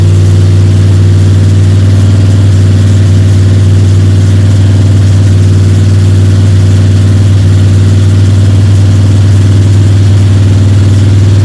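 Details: Freshly built Ford 302 Cleveland V8 with Holley Sniper and new electronic distributor, first start, steady fast idle for cam break-in (~10–15 min), timing around 31°: deep, smooth, even drone, no ticking or rattling; healthy normal high idle.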